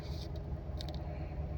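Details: 2013 Chevrolet Caprice with a no-crank no-start, after repairing the damaged, detached starter solenoid connector clip: engine catches and settles into an even, low idle with no misses, knocks or grinding; healthy.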